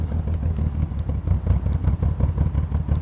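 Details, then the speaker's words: 1986 BMW 528e after weeks of repairs and long storage, coolant sensor, O2 sensor, fuel pressure regulator replaced: loud lumpy exhaust drone with clatter about three pulses a second, black smoke and smell; possibly running rich. "so loud sound smoke is black I can kind of see it I can smell it too"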